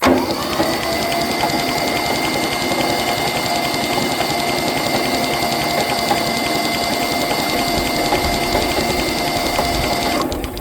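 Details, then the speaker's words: Kubota B6100 4x4 HST 3-cylinder diesel tractor run out of fuel: long even starter cranking about ten seconds, steady whine, no firing; injection pump full of air, bleeding injector lines to restore prime. "Alright, with that, when you run out, your injection pump sucks air. So now your injection pump is full of air. You cannot pump fuel until you get the air out of there."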